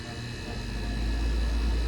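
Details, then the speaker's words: AC condenser after replacing a noisy condenser fan motor (bearings suspected bad) and dual capacitor; fan hum rises and settles at an even pitch, no grinding or rattle; amp draw 0.6 to 0.8 A, below 1.0 A rating; normal. "go fans up to speed check amp draw go between one wire at a time"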